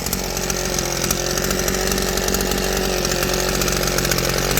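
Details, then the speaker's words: Southland tiller revived from trash, fuel tank now holding, adjusted to hit its power band, running unloaded at high revs; steady buzz with faint rapid flutter, no misfires or knocks, runs like a charm. "Fuel tank's holding perfectly. Runs like a charm."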